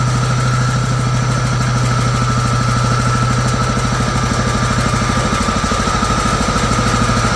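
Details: Free John Deere GT262 garden tractor, sitting many years, first start after fully charging the battery: steady, even putter at idle with a regular low thump and no knocks or misses; engine runs smoothly, normal idle.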